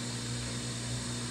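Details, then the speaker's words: Whirlpool Duet washer, drain pump filter cleared after F21 error: empty quick-wash cycle, steady even hum and low constant motor drone, no rubbing or grinding; spinning strongly and smoothly, no F21 code. "this is spinning like it's never spun before what's going on probably because it's not hampered by it"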